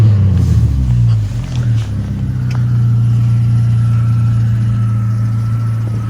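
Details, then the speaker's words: 1994 Saturn SL2 twin cam with new thermostat, revved at a stop: deep loud droning rumble swelling and settling, thin squeak likely from antifreeze on belts; holed muffler leaking exhaust, to be replaced. "Yeah, so that's just the muffler. I'll have that replaced come probably Monday."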